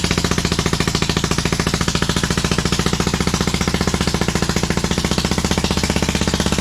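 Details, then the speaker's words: 27hp engine in a Lesco Viper 54" zero-turn mower while trying to drive it, low on power: hard, choppy pounding of about three and a half beats a second, running on only one cylinder. "I don't know if that, that pulley ratio is all off, or kind of feels like the engine doesn't have a lot of power. That's interesting."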